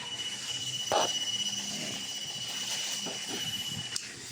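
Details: KOI power station: 12V and USB outputs fine, but 220V inverter output gives a steady high-pitched beep alarm, battery drains fast, no output; fault from a shorted output MOSFET.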